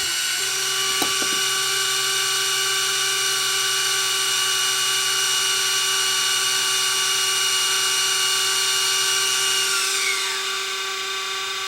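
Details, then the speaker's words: Sony DSR-11 DVCAM deck in fast forward: piercing steady high whine falling in pitch as transport spins down; reel motor ruled out by touch, owner thinks the capstan motor is squealing. "that is that's weird I think it's the Caps the motor that's streaming"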